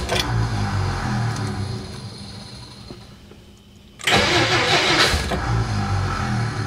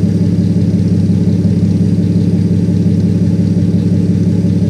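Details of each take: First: 1957 Plymouth barn find parked 20+ years: first start attempt, two long bursts of rhythmic cranking trailing off with occasional uneven firing but no catch; cranks without starting, owner suspects a starter issue, not confirmed. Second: 1957 Plymouth 2-door barn find parked 20+ years, old six at idle after fuel system primed and air bubbles bled, mic held right up to the engine; deep, even idle without stumbling, hunting or knocking, purrs like a kitten; normal idle.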